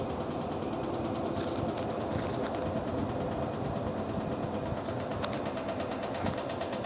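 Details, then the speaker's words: Kenmore 100 series HE washer, suspension rods already replaced: a steady low hum while spinning, then faint irregular light taps as it stops, sounding like the tub tapping metal; drum off balance, cause unconfirmed. "there is a slight hum as it's going and then when it stops it's going to start making like a real light tap"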